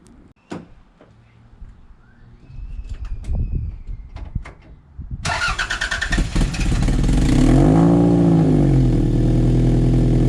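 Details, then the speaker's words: After cranking on a battery that had been flat, a Toyota MR2 SW20 idles steadily with a sharp puffing chuff after a Mongoose exhaust install. Exhaust is blowing at the welded two-into-one section or its joint; the back box no longer leaks. "Blowing on them two joints. That was not good. It's blowing where the decap the back box isn't blowing anymore, but I can feel air coming out of where either the exhaust, the new piece has been welded together so the two comes into one, or from that actual joint."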